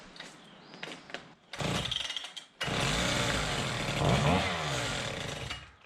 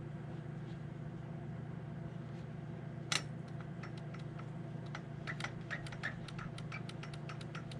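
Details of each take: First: Husqvarna K760 two-stroke concrete saw after service and ignition coil replacement: fires after a few pulls, then revs up and runs strong and clean without misfiring or bogging; the coil was the main running problem. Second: Husqvarna K760 gas concrete saw, pull start side: sharp light clicks several per second over a low hum, confirmed as the recoil starter dogs rather than the bottom end. Recoil starter pawl clicking.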